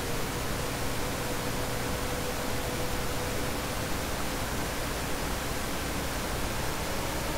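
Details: Dell CS24-SC 1U server, dual Xeon L5420, two of four 40mm San Ace fans removed, baseline before Prime95 load: steady, even rushing at constant moderate speed with faint steady tone; normal baseline fan noise.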